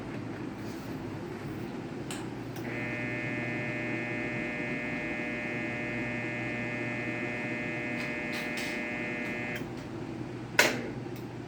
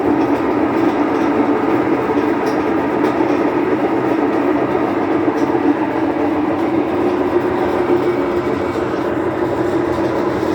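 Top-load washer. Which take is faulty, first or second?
second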